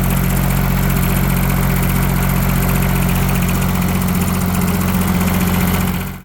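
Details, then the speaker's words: Yanmar 3TNV70 three-cylinder diesel in a Cat 300.9 / WN 803 excavator idles with a low, even thrum and no clatter after new injectors and glowplugs, a lot quieter. It still smokes heavily, and where the oil comes from is unknown. "Much quieter. Still a lot of smoke. But I'm not sure where the oil is coming from. I'm still looking into that. Or at least it's a lot quieter."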